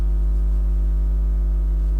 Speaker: sound going on there. Bit of an earthing fault for some reason. Yeah, let's get rid of that noise.